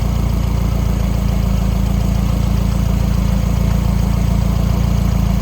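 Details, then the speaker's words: 1984 Volvo 244 GL pulled from the woods, now on a carburetor instead of fuel injection with temporary exhaust, finally running on its own: even, low idle about four beats a second, no misses or rattles, runs pretty good. "That's pretty good. It's alive. Oh my! We have a runnable car. runs pretty good."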